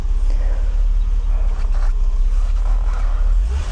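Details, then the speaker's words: Warm 80-degree M103 engine in a W126 300SEL, freshly reinstalled after fuel distributor refurbishment, settles into a smooth, even low idle with steady rumble, no misses, knocks or hunting; runs healthy, normal idle. "Runs very smoothly. So this M103 engine has no issues."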